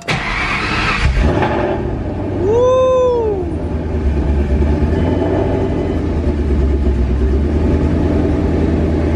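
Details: 2007 Mustang GT with 2013 F-150 Coyote V8 swap, first start after installing 2018 intake manifold and new tune: loud fuel system, cranks, catches and settles to a steady even idle, no knocks or misses; normal start.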